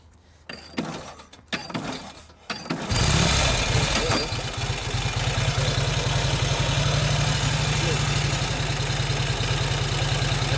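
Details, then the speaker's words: Roughly 80-year-old Indian motorcycle, cold, started with choke after primer kicks: settles into steady idle with light ticking; valves need adjustment. "sounds good. It sounds really good. It needs a valve adjustment. You can hear it ticking."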